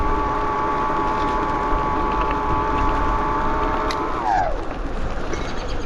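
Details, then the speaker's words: 72V BBS02 mid-drive on Phaserunner after JB Weld rotor repair, hill climb: several steady high whining tones, pitch sweeping down as power drops, louder than a BBSHD; cause unclear, owner suspects rubbing or bad bearing. "let's see what it sounds like it's loud like it's a lot louder than the bbsh HD"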